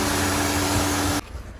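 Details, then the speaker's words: 2017 Chevrolet Cruze LT LH7 turbo diesel, automatic, in reduced-power limp mode from clogged DPF: loud steady roar with constant mid-pitched whine at raised idle during parked forced regeneration, which unclogged the filter; forced DPF regeneration high idle. "It's still going. This thing is screaming right now doing its regeneration."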